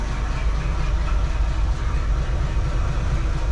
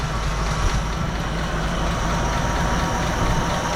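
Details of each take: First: Jeep CJ7 just fitted with a new carburetor, valve cover gasket and simplified vacuum system: it started right up and idles quietly at about 600 rpm with a low, steady rumble and even firing; the carb still needs tuning. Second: Jeep CJ7 just fitted with a new carburetor, idle screws seated then backed out about two turns: low, slightly uneven quiet idle near 600 rpm, then throttle blip raises the note. Carburetor needs tuning.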